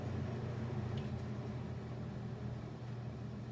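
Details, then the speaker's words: Superlectric plastic box fan motor after rebuild (bearing surfaces sanded with 320 grit), first start: low hum with a rough, gritty rustle; worn, dry sleeve bearings making far too much noise. "the bearings are crap it shouldn't make that much sound so you know whatever why I don't think this much I can do about it"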